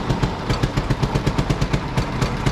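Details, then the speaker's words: Four-cylinder pony engine on a cheap road grader, started on a roughly 30-degree morning after a stuck-open valve was freed and swapped magneto wires corrected (it had been firing on the exhaust stroke); now pops along steadily with even beats, running healthy. "so it was actually firing on the exhaust stroke of the four cylinder so once I switch them it popped right off"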